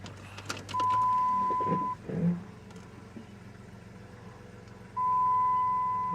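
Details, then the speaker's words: 2000 Jeep Grand Cherokee, 211,000 miles, used for towing, throwing P0171 code that appears after warm-up; cold start with door chime sounding twice, six catches and settles into even, steady idle, no misfire: normal cold start idle. "I want you guys to listen to it start from a cold start. Hopefully the battery's not dead, eh? Fires up, runs really smooth."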